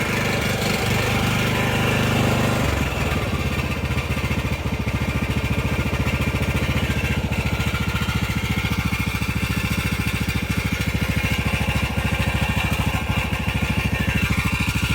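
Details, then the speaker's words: Husqvarna LTH 18538 small single-cylinder mower engine running a little unevenly, still coughing, with a fast tinny buzz on each firing pulse from a loose muffler rattling; muffler needs bending out. "That rattling is just the muffler. I'll have to bend that out."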